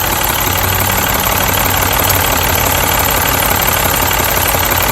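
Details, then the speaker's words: Mini, misfire traced by swapping ignition coils: after moving cylinder 3's coil to cylinder 1 the fault followed it to cylinder 1; loud steady idle with a faint stumble about three times a second; faulty ignition coil causing misfire. "so now as you see number one is now the problem so the problem has moved from number three to number one so that means that's the coils"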